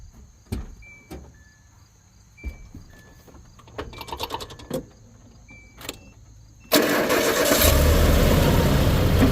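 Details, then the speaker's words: Stripped base-model pickup with 130,000 miles and a presumed stock timing set with a good tensioner catches after a brief crank and settles into a steady even run, absolutely no startup rattle. "I think it has a stock timing set in it, so it's actually got a good tensioner on the timing set, so there's like absolutely no startup rattle."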